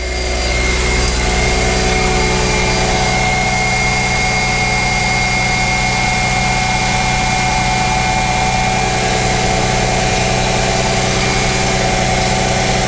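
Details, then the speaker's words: 2005 Mercedes CLK320 with M112 V6 after a no-start diagnosis, first start: an even cold idle with a constant turbo-like whine from the secondary air pump working normally; a slight idler pulley or tensioner noise is possible. "the secondary pump is working it sounds like a turbo"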